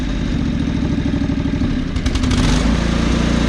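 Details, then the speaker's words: John Deere 445 riding mower, hot after running a couple minutes: steady low-speed thump picking up smoothly when throttled, even and healthy; earlier smoke has mostly cleared, owner suspects the valves were mostly the cause. "well it's been running a couple minutes now and the smoke's actually kind of cleared up to be honest"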